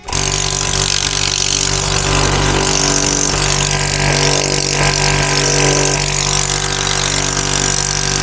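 Loud, steady compressor chug about four beats a second with an even hiss; the first stage is pumping normally with good pressure.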